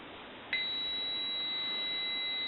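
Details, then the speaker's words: AE Monophone rotary desk telephone, right receiver capsule checked with a meter reading 27.4–27.5 ohms, not quite a dead short; a clean, steady high beep starts as the leads touch and holds. "and i'm getting 27.4 27.5 at times so it's not quite a dead short"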